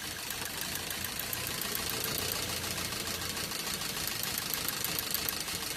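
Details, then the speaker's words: Maruti Swift Dzire petrol/CNG running on CNG: uneven ticking idle with a missing beat; unplugging the cylinder 2 CNG injector changes nothing while others worsen the miss, so the cylinder 2 injector is dead and gets replaced. "मतलब यह दो number cylinder का जो injector है वह काम नहीं कर रहा है।"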